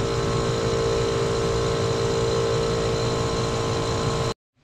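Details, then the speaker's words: Two-stage scroll compressor gas pack with condenser fan unplugged: steady compressor hum with fan tones, then dead cutoff at about four seconds as high-pressure switch HPS1 trips at about 650 psi. "all right so she just tripped out so about 650 on the pressure switch"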